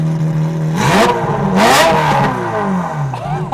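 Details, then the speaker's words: Ferrari 355 V8 after a full engine refresh, with a Tubi, Larini and Capristo exhaust. A deep even idle burble, then a sharp blip that climbs and drops cleanly back to a steady idle. Normal rev blip. "Should we give it a blip? Whoa. Whoa. Jesus. Oh my god. Do it again."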